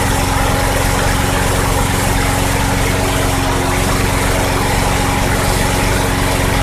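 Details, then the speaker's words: 2006 Craftsman 917.376160 front-wheel-drive push mower rescued from junk pile, tank nearly dry, run on sprayed carb cleaner: steady even single-cylinder drone, no misfires; engine functional and sounds good, carburetor suspected bad. "okay well the engine runs actually it sounds good I have no idea what it's running off of that tank was bone dry pretty much but after spr in it a few times with some carb cleaner that engine is functional"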